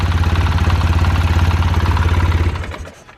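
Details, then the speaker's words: 2005 Polaris Sportsman 700, still running rough after an attempted fix: rapid regular clatter about three to four beats a second over a low idle thump, fading at shutoff. Top-end chatter, cause unknown. "listen to that i don't know if you guys hear that chatter but i don't like the sound of that at all and i have a really bad feeling"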